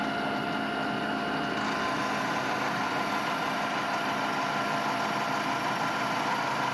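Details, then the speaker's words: Milling machine cutting frame parts for a DIY hub dyno: constant high-pitched squeal over a steady machine drone, not from the cut; owner suspects the electric motor or the speed mechanism, unconfirmed. "as you can hear the all that squealing it's not actually coming from the Machining um coming from the I don't know the electric motor up there or the uh speed mechanism so I guess we going have to look into that"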